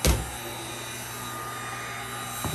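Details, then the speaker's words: Snapmaker 2.0 3D printer power module: small rear cooling fan running loud, steady airy whoosh with thin high whine. "oh that's loud my ear canals are very sensitive this noise is being made by the little fan in the back"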